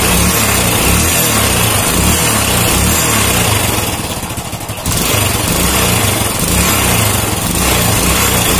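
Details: Old Honda Supra motorcycle after repairing the clutch outer that was loose because its rivets didn't fit the holes: idles evenly, revs up smoothly and drops back with no rattle or clatter; normal revving, fixed.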